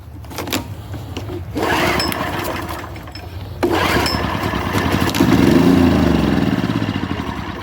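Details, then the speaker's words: Yamaha generator left in a barn for 30 years, spark plug pulled and starting fluid sprayed into the cylinder: two pulls each catch, buzz quietly for a second or two, then die. Compression and spark are good; the carburetor is suspected. "so this time I'm gonna pull it a couple of times and let you hear that it starts it runs for a second and how quiet it is"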